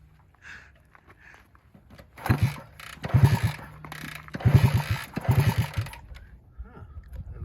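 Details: 1966 Honda S90 motorcycle (also called a 1964), tuned up and cleaned but never run in 45 years of ownership. Several hard kicks each turn it over with a short chuff but it never catches; cranks without starting, cause unconfirmed.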